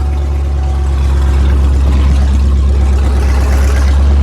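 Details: Cold L92 LS V8 swapped into a Chevy Colorado ZR2, straight-piped, on a Holley Terminator Max with an added inline fuel pump, idle set high at about 1200 rpm while warming (under 1000 once warm): a deep, loud, even burble with no misses or knocks, healthy.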